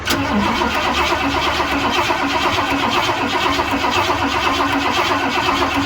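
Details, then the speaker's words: 1978 Ford F100 Cleveland V8, sitting about six years, coil refitted and fuel poured down the carburettor: starter churns steadily at about two beats a second but never catches; engine flooded, spark and fuel-line blockage still to be checked. "Maybe a scooch more. Now it's officially flooded."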